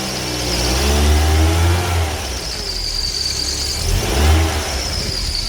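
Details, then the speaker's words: Car engine before treatment, belt tensioner replaced earlier but belt not, oil in the pulley grooves: high, thin squeal over the engine that swells with each rev; the belt is dry and slipping. "叽叽叫，那个就是皮带伤涩，因为皮带张力器换先的咯。"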